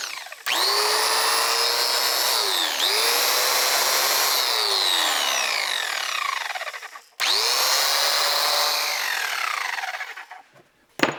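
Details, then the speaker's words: Milwaukee angle grinder after repair for randomly shutting off (new cord, new chuck lock button, contacts cleaned): the motor spins up quickly to a steady high whine, runs evenly and winds down smoothly; normal running. "that seemed like a success uh not a terrible job"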